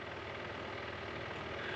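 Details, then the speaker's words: Koi pond pump running after a cleaning, impeller with about 2–3 mm forward-back play: steady, fairly quiet motor hum with a rough, rattly edge that doesn't settle. Running noisier than it should; cause suspected, not confirmed. "Right, it's back in and it's running. It's still making a noise though."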